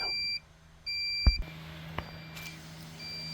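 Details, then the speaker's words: 1991 Honda CRX Si: steady high warning beep pulsing about twice a second over handling thuds; the seatbelt warning light and beeping come from a faulty door lock switch circuit. "probably there is the problem in one of these actuators in order to troubleshoot that unplug the it's a freaking uh lock switch door lock switch"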